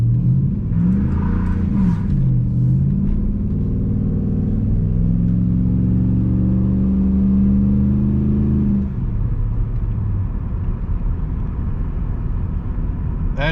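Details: 2002-2005 Dodge Ram 1500, in-cab test drive right after replacing worn front wheel hubs: low smooth road rumble with engine pitch rising and easing through shifts, no hub growl or hum; quiet, normal ride.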